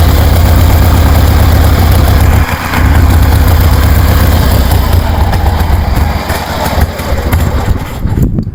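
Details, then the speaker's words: 1973 Harley Sportster with CV40 carburetor fitted and tested: loud, deep, lumpy V-twin beat holding steady and picking up cleanly on throttle; running well, fine tuning still needed. "This is pretty cool. This is what I wanted to accomplish. I knew one of these carburetors was going to work."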